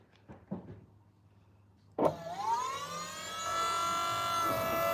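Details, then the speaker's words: Electric power steering pump on a car that previously had no power steering, taking a second to start: a sharp start, then a smooth high whine that climbs and holds steady; normal electric power steering pump. "That's a wild sound that that thing makes. It's pretty cool. It's like a Tesla. Mhm. Hardly tell it's running."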